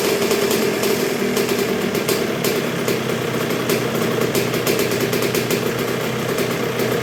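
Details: 1986 Honda CR125R two-stroke, not yet fully broken in after a new .060-over Wiseco piston top end: crisp popping at a low, steady idle that holds even without stumbling or hunting; healthy normal idle.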